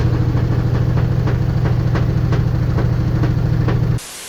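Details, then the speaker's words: LG washing machine on spin: deep drone with steady thumping about three times a second as the drum slams around; drum shock absorbers knock and no longer hold, worn out. "Ну и слышите, да, стучат амортизаторы. Они абсолютно не держат, абсолютно гуляет вот это вот."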